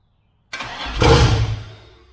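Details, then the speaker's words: 2000 Camaro with newly wired Holley Dominator EFI, first start: cranks, catches, surges loudly then settles into a lumpy, uneven idle; running rich, needs idle tuning and fuel map, manifolds smoking as oil burns off. "plus it's running rich obviously it needs some idle tuning but it runs and it sounds mean"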